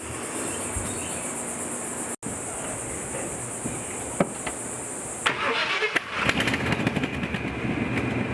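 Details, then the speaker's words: 1986 Chevy K10 Silverado squarebody V8, mostly original, revved: sharp irregular pops and ticks over the exhaust; exhaust popping, probably leaking exhaust manifold gaskets. "all right you can hear that popping and that's probably those uh exhaust manifold gaskets"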